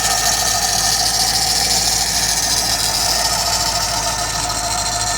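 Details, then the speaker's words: C5 Corvette LS1 at cold idle, heard close up under the hood: a steady, constant-pitch high chirping squeal from the belt tensioner; possibly caused by a wobbling balancer. "So in this case, the noise is coming from the belt tensioner. You'll be able to get close enough like this to tell if it's making the noise or not. In this case, it is."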